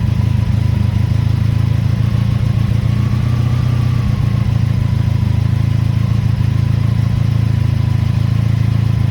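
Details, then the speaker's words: 1983 Honda Magna V45 VF750C V4 with a new battery. Cold start on choke after sitting a couple of days off the charger at about 73°F. It fires right up to a steady, even idle with no knocks: normal cold idle. "so this bike did not run at all today uh ran it uh a couple days ago but but it has not run and was not on the charger fired right up"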